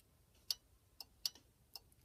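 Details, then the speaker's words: Panasonic TA824 hybrid PBX while ringing a phone; crisp dry clicks at about two per second, each a sharp tick with no hum behind it, as the PBX relays send out the ringing current, normal. "Now, notice, when you hear it ringing, you also hear clicking noises from the PBX. It's actually sending out the current"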